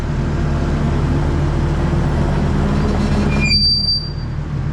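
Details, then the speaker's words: Kubota tracked skid steer running in the shop, ear beside the right-side track: low track rumble with a sharp high squeal for about a second near the end; track isn't touching the rollers, so the squeal points to the front idler, worsening all winter. "so it's not engaging any of the rollers so this can't be any of the rollers cuz the track's not even touching them it's it feels like this front idler right here"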